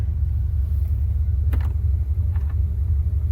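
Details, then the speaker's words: 1975 Cadillac Fleetwood V8 idling with new battery cut-off switch turned off: deep, even rumble with a couple of brief clicks, uninterrupted; keeps running on a good alternator. "Thought that would kill the motor for a second. No, this is a tantamount of just taking the connection off the battery. You know, the reason why it's still running is because the alternator is good."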